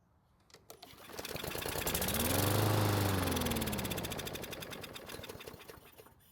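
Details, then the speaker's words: Craftsman mower that sat a long time in a garage, engine primed with gasoline after it wouldn't even try to start: catches, rapid popping run for a few seconds, then dies; fuel delivery fault, fuel not reaching engine or bad fuel in tank. "Now, since it started and ran for a couple of seconds, it either means the gasoline is not getting to the engine, or it is getting there, but there's something wrong with the gasoline that's in the fuel tank."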